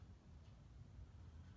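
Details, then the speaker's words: 52" ceiling fan, model HP 2232 from March 1987, Halsey-made motor, 3-speed reversible, unknown brand, running on low speed: quiet steady hum with no knocks or rattles, normal, not much of an air mover. "Pretty normal low speed. Not much of an air mover."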